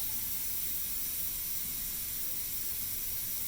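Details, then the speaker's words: Pampered Chef Quick Cooker releasing pressure after cooking pot roast and mashed potatoes: the release button is pushed, giving a steady, high, airy steam hiss with no sputter or pulsing; normal release until the red pressure bobbin drops. "just going to push this button and let the steam release. When the pressure is completely down to nothing, this little red bobbin right here will drop down."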